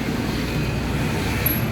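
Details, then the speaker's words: Yamaha Mio S40 scooter, freshly cleaned CVT (panggilid) humming while running: steady low drone, no clear knocks. "Ayan, may nahugong pala ito guys. Yamaha S forty ha guys. May nahugong daw sa kanyang panggilid."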